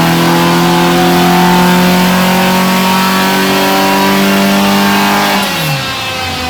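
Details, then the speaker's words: Mk1 Ford Escort after rejetting from 140 to 125 main jets because it was overfuelling, on a full-load power run: strong, clean, evenly rising engine note, crisp all the way up before backing off; fuelling now okay. "So this time, running up through the revs, it's fueling okay, and we're ready for our power run."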